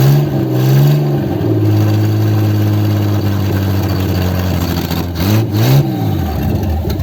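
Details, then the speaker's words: 1955 Ford Zephyr six-cylinder, 46 years off the road, just revived: smooth even run, throttle blipped picks up cleanly and drops back without stumble, no smoke; normal running and revving. "yeah sounds good as well yeah it sounds good yeah I don't think it needs Much To Be Honest Engine wise"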